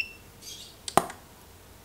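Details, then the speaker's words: Godox SK400 II studio flash after repair of Error E3 and weak power, tested at 1/16 then raised power: single sharp pop of flash firing then clear high recycle beep; fires and recycles normally again. "Jadi intinya Lampu ini udah normal lagi nih Alhamdulillah"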